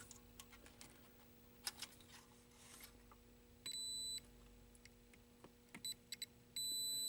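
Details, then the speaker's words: 1983 Atari Cloak and Dagger arcade PCB, after restart in free play: a logic probe on the audio channels gives brief steady high-pitched beeps with no pulsing, showing both channels sitting at logic low as expected. "you'll hear the logic probe going crazy when it's got the sound going I'm gonna go ahead and just restart the board okay and free play it should be both audio channels should be just low"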